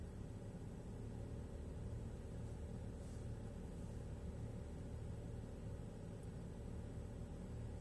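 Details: 2007 BMW X3 N52 272 hp inline-six on cold start: a low, uneven, wavering rough idle. It began after the eccentric shaft sensor gasket was replaced; before that it ran fine cold and rough warm. Cause unclear.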